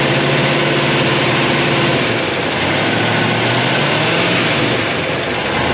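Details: 1957 Chevy Bel Air, likely a 283 small-block V8, garage kept since '76, fuel pump working. A loud, steady fast idle with a slightly uneven, rich beat as it clears after flooding. They suspect something stuck in the carburetor and are letting it run the carburetor dry.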